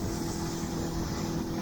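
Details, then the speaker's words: Outboard boat engine after being trimmed back down: steady, heavy drone with water rush behind it, loaded down as the hull drags more through the water. "Boat's very laboured, but watch what happens when I take the trim off."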